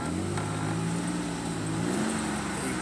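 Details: 2006 Chevy Equinox at idle after muffler replacement: steady, even low drone, no rattles, puffs or leaks; exhaust sealed and healthy.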